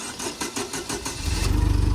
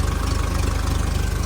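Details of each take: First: 2010 Doosan propane forklift, 3,353 hours, after turning the mixture screw: cranks about a second, catches at once and settles to a steady, even idle, where before it cranked about 30 seconds. Normal quick start. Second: 2010 Doosan propane forklift, 3,353+ hours, with surging and slow starting, vaporizer/regulator replaced; turning the regulator's mixture screw gives a low, fast, pulsing, shaky uneven idle and the engine shakes; rough running that the owner thinks is the fuel mixture.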